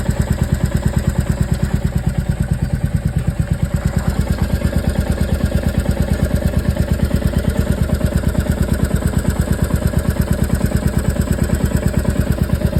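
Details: Royal Enfield Meteor 350 at idle: a steady single-cylinder thump with a crisp, even ticking on every beat, the known tappet (valve clearance) noise.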